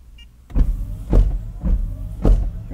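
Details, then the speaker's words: Honda/Acura, high-speed wiper actuator command from Launch Creader Elite V2.0 scan tool: regular, even swish-and-thump about every half second as the wiper motor sweeps cleanly on high, normal operation. "is the high wiper so not just diagnosing engine I can do body wipers electrical all sorts of stuff with this"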